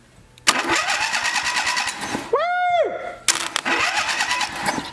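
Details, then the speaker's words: Log splitter small engine upgraded with an electric start: a starter fitted with a swapped plastic gear, hooked up before the solenoid is mounted. Two bursts of quick, even cranking with a spin-down whine between. The new starter turns the engine over strongly. "so I got the plastic gear on there and I've got the starter hooked up so now we're going to crank it over"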